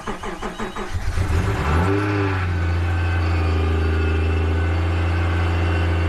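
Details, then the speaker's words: Subaru SVX with idle issues, after new spark plugs, coil packs and a fuel pressure regulator vacuum hose: cranks briefly, catches and settles straight into a smooth, even, steady idle with no misses; normal idle. "runs pretty good now and i am stoked"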